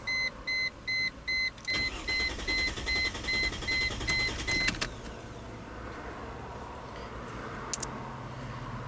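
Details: 2005 Chrysler Crossfire (Mercedes drivetrain) that stalls after minutes and won't restart until cooled: chime beeps then about three seconds of even cranking, no firing; two-wire crankshaft position sensor shows no signal on scope.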